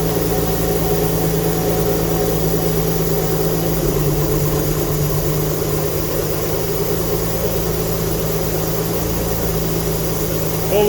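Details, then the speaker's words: Alfa Romeo GTV V6, first start after mechanical restoration with a refitted fuel pump, still awaiting a new exhaust gasket: fairly steady idle with uneven chuffing underneath, consistent with exhaust blowing; smoke is thought to be from burning unburned oil. "i am still waiting on a new exhaust gasket so if by any chance it does start you will hear the exhaust blowing"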